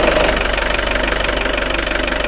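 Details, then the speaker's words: Nissan Terrano diesel with FS5R30A 5-speed manual gearbox at idle: fast, even rattling clatter over the diesel idle, thought to be gearbox bearing noise; said to be harmless and not to worsen over years. "вообще это мусор так сказать болезнь в коробке который проявляется просто шумящие подшипников но при этом там коробкой ездить там 10 20 30 лет с этим звуком"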